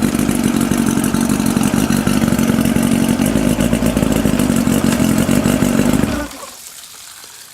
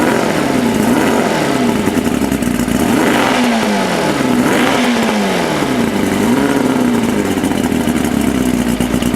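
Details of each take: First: 1992 Mercury Classic 40 HP two-stroke outboard with a replacement block (original pistons scored), compression 132–135: strong, steady buzz at an even pace for six seconds before a clean shutoff; the replacement block runs fine. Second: 1992 Mercury Classic 40 HP two-stroke outboard with a replacement block (original pistons scored), compression 132–135: revs rise and fall unevenly, bogging under throttle; owner suspects carburetor adjustments are needed.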